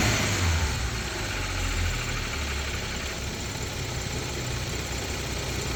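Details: BMW N55 petrol engine at operating temperature, oil at 110-115°C, in neutral: a quick, uneven clicking over the idle after each light rev, like a card on bike spokes; the cause is unknown.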